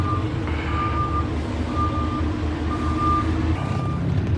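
Steady high beep repeating about once a second over a low diesel rumble, the normal reverse alarm while backing up.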